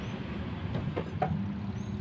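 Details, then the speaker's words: Samsung twin-tub washing machine with a spin-dry tub that won't spin: the spin motor gives a steady low mains hum with no rising whir. Powered but stalled. The motor windings are checked next. "เสียงมอเตอร์จะไม่หมุนนะครับผมสังเกตดูนะครับ"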